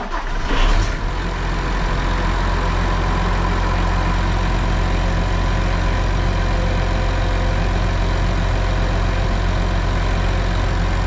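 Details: Case 305 diesel during service after oil and filter change, just filled slightly over full: start-up rush settles into steady even low idle, no knocks; oil pressure rises to about 75 PSI, healthy.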